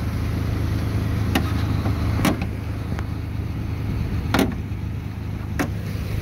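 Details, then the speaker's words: 2009 Ford Ranger FX4 4WD automatic, 4.0 L engine, 66K miles, idling under the hood with AC compressor kicking in: steady low hum with a few brief clicks, no belt squeal or valve tap; normal idle. "all right here's your 4.0 L engine sounds really good AC's kicking in you can hear the compressor nice and quiet no belt squealing no funky noises no valve Taps"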